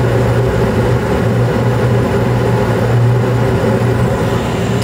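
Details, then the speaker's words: Carrier Infinity 96 gas furnace (58MVB), sealed combustion, running in 2nd stage in late April with blower on: steady even low hum, no rattles, squeals or surging throughout; normal steady run. "Looks like it's still running smooth."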